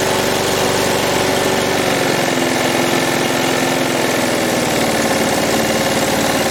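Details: Lawn mower single-cylinder engine during repair/overhaul, with a lot of compression and no brake: even, steady beat with no knocks or misses; sounds healthy.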